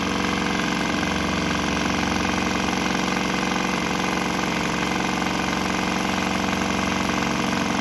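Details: Swan X 165F Chinese single-cylinder diesel on a shipping crate, vibrating heavily, running on used canola fryer oil, throttle on start setting; steady even chug at constant speed, no misses or knocks; normal running, didn't stop.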